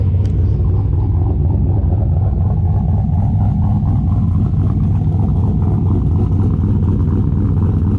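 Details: VE with a big V8 said to make 525 rwhp, just fired up with the pump winding up and still not road-driveable: a heavy, steady low rumble with no ticking or misfire; it idles smoothly.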